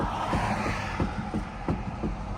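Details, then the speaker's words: Custom 1989 Honda CRX Si shortly after a shop tune-up and alignment, while rolling: regular dull thumps about every third of a second from the front left suspension, and the car then would not start. Suspension clunk, cause unclear. "that's what the car is making in the front left suspension and now the car does not start as well"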